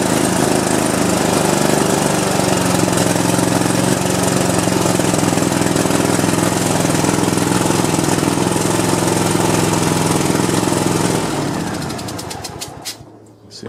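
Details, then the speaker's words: Cub Cadet LT1050 lawn tractor, Kohler 25–26 hp twin, 138 hours, burning oil: rough lumpy running with irregular exhaust popping and a puff of white smoke at startup; cause unconfirmed, piston rings feared. "loud that sound of the gun is definitely sounds like some popping doesn't it and uh you see all the white smoke that puff of white smoke when i first cranked it up"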